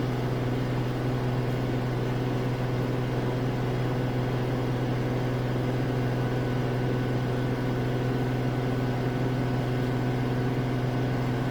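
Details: Samsung AddWash front-load washer at a rental house, spin ramping from about 1200 to 1250 RPM toward 1300 RPM; steady low hum and even whirr, surprisingly quiet, no knocking or scraping, normal high-speed spin.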